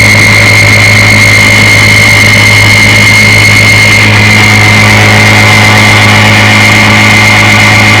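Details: Restored 1958 Evinrude 5.5 HP outboard, flood-damaged in Katrina, with power head, carburetor and gear case replaced. Warm start, running on a 14-foot John boat at about 7 mph. Even, steady two-stroke buzz with no misses or knocks; normal running.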